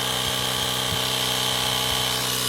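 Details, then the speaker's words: 12 V tire inflator on the Hulkman Alpha 85's 10 A / 150 W DC port: steady high-pitched motor buzz with a fast, even pumping pulse; runs fast and fills the tire quickly, faster than off the car plug. "It really runs this fast. So it airs up my tires a lot faster using this unit than it would if I was trying to run this off of my car plug. And that's really handy, boy. It filled it right up real fast."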